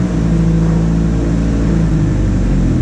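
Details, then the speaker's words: 2006 Ford Transit 2.3 with low power, revs held up: dull, choked drone, engine strained and breathless, fuel trims running rich; restricted exhaust. "let's get the revs up it sounds like absolute crap so i'm getting those revs quiet up now"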